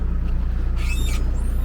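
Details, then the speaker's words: Boat tiller pivot squeaks loudly with high creaky squeals rising and falling each swing over the steady diesel thump; silicone grease applied daily for days helped slightly; owner considers removing top bolts to pack with grease. "My tiller is really squeaking. I've been squirting that with silicone grease every day for the last couple of days."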